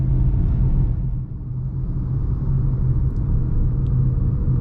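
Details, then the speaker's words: Manual car shifted into fifth gear at about 30–35 km/h: deep, strained low rumble with faint shudder, almost no response to the accelerator and no rise in revs; engine lugging in too high a gear at low speed. "अब, अगर आप यहां accelerator दबाएंगे, तो आपको लगभग कोई प्रतिक्रिया नहीं मिलेगी। शून्य। आपको अपनी कार में कंपन महसूस हो"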